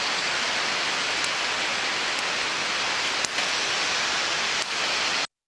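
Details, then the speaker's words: Ultrasonic inspection of a slow bearing under 200 rpm: steady hiss with faint small ticks about once a second, like a scratched vinyl record, each as the defect passes: an early bearing defect. "Aquí tenemos como un vinilo rayado que suena, cada vez que pasa por encima del defecto, suena como un pequeño golpecito."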